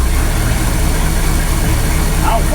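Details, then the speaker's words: 1964 Ford Galaxie 500 V8 revived after 15 years sitting with new condenser, at idle: deep uneven drone with raspy blatty exhaust, no valve-gear tick; exhaust system in poor shape; accelerator pump leak also noted. "that said the exhaust on this thing was pretty terrible he's right it doesn't sound very good"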